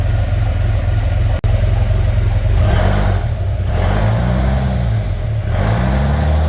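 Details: Narrow Gauge Bombardier engine after a new thermostat and gasket for running hot (an air lock in the heater hoses is suspected), held near 2000 rpm with the heat gauge where wanted: a deep, steady note rising and falling slightly, no knocks; normal running.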